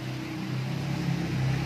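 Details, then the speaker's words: LX 2000W mining power supply after one year of use: the fan runs very fast, giving a loud droning hum with a steady tone that climbs slightly as it speeds up. Excessive PSU fan noise. "Ini kipasnya juga berisik banget kipasnya angin gitu bikin berisik jadi nggak kayak yang lain PSU yang lain ya itu kan akibatnya cuman suara angin doang ini saking cepatnya"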